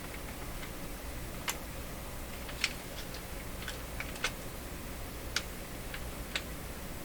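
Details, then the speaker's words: Linn Classik 115 CD loader: faint sharp tick repeating about once a second as the loader lifts the CD, absent when upside down; a dry sliding part catching, suspected lack of lubrication. "can hear it a little tick right there no no tick occurs when this is upside down"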